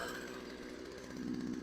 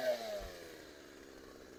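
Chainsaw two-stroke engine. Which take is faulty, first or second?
first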